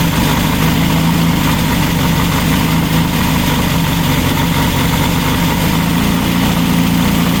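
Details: Freshly built VW Baja Bug flat-four on the stand, break-in oil with zinc additive, Super Dome distributor: steady even idle with low busy chuff, no knocks or misses; healthy.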